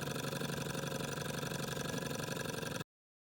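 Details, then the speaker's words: Small restored Stirling engine heated by an uneven burner: soft, even chuffing about four beats a second, speed wandering slightly with the flame. Normal running. "i see just be fluctuating a bit slower bit faster um depend on what the fire is doing"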